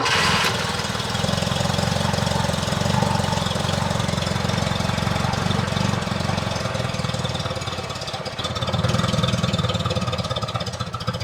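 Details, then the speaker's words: 1978 Lada Niva, first start after two years parked in a hedge, weak battery: uneven, lumpy idle with loose irregular beat and hesitation after backfiring; ignition timing is still slightly off. "That's more like it. The timing is still a bit off."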